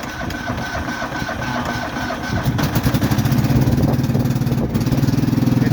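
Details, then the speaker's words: Cub Cadet Series 2000, cold start after sitting 8 months, on half choke and half throttle: sputtering cranking catches at about two and a half seconds into a steady thump near 200 a minute, idling smoothly once fuel arrived. "It idles pretty smooth."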